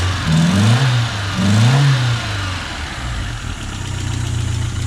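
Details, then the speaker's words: 1985 Nissan 200SX S12 CA20E with new injectors, coolant sensors, plugs, wires, MSD coils, cap and rotor: two quick revs rise and fall unevenly, then settle to idle; holds idle well but hiccups when throttle is flicked, air-fuel mixture screw needs dialing in. "so yeah so it holds auto pretty well um it's just the initial once you give it a quick flick that's when it starts to you know kind of hiccup"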